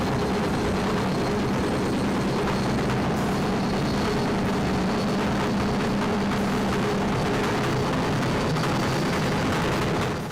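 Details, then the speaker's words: Washing machine on spin: loud continuous roar and drone like a jet taking off, a worn drum bearing; rust or leak traces may appear under the bearing. "un bruit de roulement usé ça fait beaucoup de bruit à l'essorage un bruit continu ça fait un peu comme un avion qui décolle"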